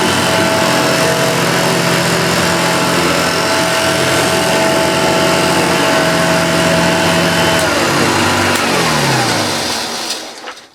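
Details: Restored Hoover Junior Dirtsearcher 1354A upright vacuum after a stretched agitator belt was replaced: steady motor hum with a smooth belt whir, no slipping or squeal, then a clean spin-down at switch-off; belt drive healthy.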